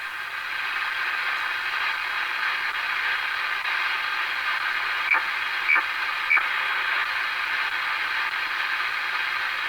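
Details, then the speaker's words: Realistic DX-394 receiver tuned slowly: steady hiss with three short chopped chirps about half a second apart from WWV signal; receiver's muting clips and distorts the audio while tuning. "Okay, that chirp you heard, this chirp sound you heard was WWV. So it was distorted. But I did hear it when I was tuning real slow."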